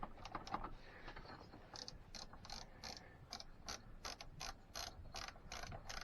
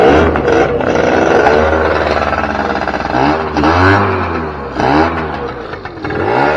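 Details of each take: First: 2006 Keeway F-ACT 50 two-stroke scooter, spark confirmed: quiet ratchety spinning in quick uneven bursts with no firing; debris from the tank got into the carburetor, which needs cleaning; crank, no start from fuel starvation. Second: 2006 Keeway F-ACT 50 two-stroke scooter being brought back to life, running off a weed-whacker fuel tank; buzzes and rises in pitch with each throttle blip, then falls back; runs and revs freely but won't idle right until carbs are sorted.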